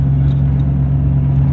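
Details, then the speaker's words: 1994 Chevy 2500 swapped from 6.5 turbo diesel to a 1984 7.4 454 gas V8 with a torquier cam, driving; exhaust cut open after the manifolds Y-pipe, no cat or mufflers; very loud deep steady drone with a raw bark. "right now it sounds like a old muscle car the 454 basically just splits into a why after the exhaust manifolds and just it's cut open no catalytic converter no mufflers it connected right now so it's just super loud mean sounded"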